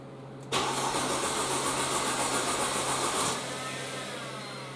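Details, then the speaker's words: Mercedes C230 cranks but won't start: starter cranks steadily at a quick even beat for nearly three seconds but the engine never fires; the fuel pump proved bad, its connector burnt-looking. "it cranks and everything but it just won't start it just sits there and cranks but it won't turn over at all"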